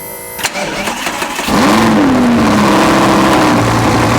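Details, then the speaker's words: Audi R8 V10 cold start, microphone right at the exhaust: short crank, then a sharp flare that rises and settles into a loud, high, even fast idle. "i'll put the mic right up to the exhaust so you guys can hear a miced up startup from this car this is v10r8 cold start take one it's either gonna sound really good or it's just gonna max out the mic"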